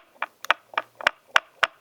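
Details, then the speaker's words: Canon R6 camera powered off, shaken: six crisp clicks in a steady rhythm from the free-floating stabilized sensor; normal, rattle stops when camera is switched on. "you get a rattle that's just that's just a floating element and I'll tell you what that's that's normal"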